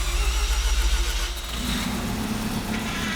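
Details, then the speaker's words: Abandoned Mazda FD RX-7 rotary, first start after refitting the intake manifold, catless: burbles unevenly then settles into a lumpy rough run; probably major vacuum leaks suspected. "the car sounded rough at first but it was probably just a few major vacuum leaks but the important thing is it's running"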